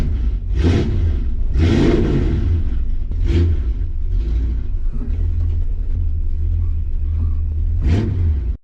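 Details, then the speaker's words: 1965 Ford Mustang 302 V8 with headers, blipped: deep rumble with rough puffing edge from an exhaust leak at the driver-side header gasket, which had leaked since refitting after a steering box replacement; gasket to be replaced. "A little bitty 302, but it has an exhaust leak. So, we're going to try to fix that today."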